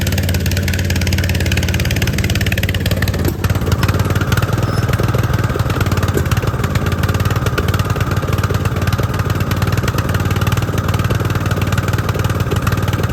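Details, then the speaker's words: Riding lawn tractor with new Chinese replacement carburetor: small single-cylinder running rough, popping and surging with a nasty misfire; owner suspects carb adjustment/jetting or spark plug. "all right y'all so we started the mower up and it ran and it had a nasty misfire you could hear it popping and surging it's a new carburetor so I'm only hoping that the uh it's adjusted right"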